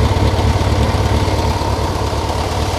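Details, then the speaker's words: Yamaha XJR400R air-cooled motorcycle on its stock muffler idles very quietly, a smooth steady low hum with no starter-chain clatter or mechanical ticking, judged normal and a sign of a well-kept bike. "非常に静かですねでえこれノーマルのマフラですはい"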